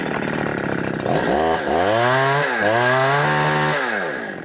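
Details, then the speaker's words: New FARMMAC F372 (Neotec) chainsaw cutting wood: revs rise and bog repeatedly without holding a high scream; won't rev past 9,700 rpm versus the expected ~14,000 even on the high jet screw; owner suspects the wrong carburetor, possibly port or ignition timing. "i can't get this dang things rev past 9 700 rpm and i should be able to easily crank it into 14 000 rpms right"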